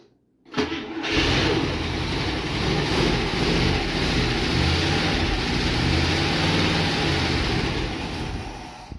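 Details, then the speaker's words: International Scout not run in about 13 years, with new but incorrect plug wires and a 40:1 two-stroke oil and gas mix poured in; starter a little iffy. It catches after a brief crank and revs cleanly on throttle with the accelerator pump working. Healthy start. "The accelerator pump, you could hear when I stepped on the gas, it revved up."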